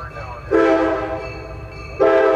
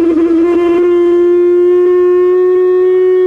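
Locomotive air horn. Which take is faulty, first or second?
second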